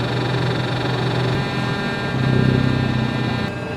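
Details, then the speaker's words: Electronically controlled shock actuator on a truck hums loudly (steady electrical hum, thin high whine, low rumble), heard with ear at lower shock; on lift, no noise at idle in park, starts seconds after selecting drive, stops in park; suspected leak at bottom of shock cylinder. "It's the shock that's making noise. It's the actuator in the shock. I put my ear right against it. The lower portion of the shock is humming like crazy."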